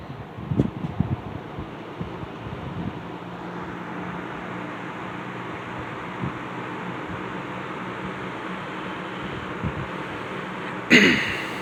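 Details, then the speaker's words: Restored Wizard 6JC3020 box fan on low speed: original motor with cleaned stator, new cord and switch, repaired blade balance and hub; quiet, even whoosh of air with a soft motor hum, no wobble, rattle or ticking; normal. "These fans are very quiet."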